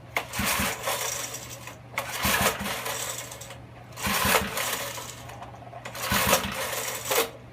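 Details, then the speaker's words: Older Snapper garden tiller, 5 HP Briggs & Stratton horizontal shaft engine, choke open, throttle wide open, carburetor cleaner sprayed in: four slow recoil pulls, rattling whirs with no firing or sputter; no start, ignition problem suspected. "Not even a sputter. So that's got me thinking that I do have a problem with the ignition system."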